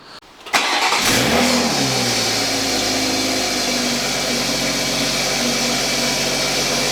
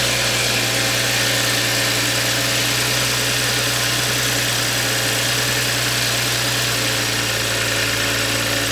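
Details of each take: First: Toyota A90 Supra with blown turbo before replacement with a new 6-port turbo: engine settles into a fast idle with a harsh raspy hiss and rattle over the top; sounds terrible, failed turbocharger. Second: Toyota A90 Supra after installing a new turbo, replacing an old one whose turbine wheel had play and ground when spun: steady, even idle with a strong airy rush and no grinding, whistle or misfire; turbocharged engine sounds healthy.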